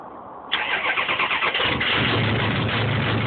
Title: 6.0 cold start and weird noise.